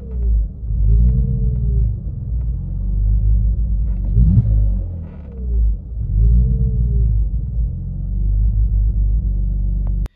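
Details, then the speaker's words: BMW E46 idling before throttle body removal: revs rise and fall in slow waves every four to five seconds, worse when driving with clutch dipped, hunting about 1,500 down to 800 rpm; owner suspects throttle body. "When you're driving normally and you dip your clutch, it will rev up and down from about 1.5 down to about 800, and it will kind of just splutter up and down like it's surging almost."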